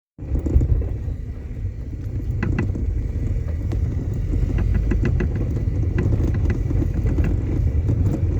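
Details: Toyota Corona over 20 years old, driving: irregular sharp knocks through road rumble, likely loose suspension part under the front; knock heard under the brake pedal.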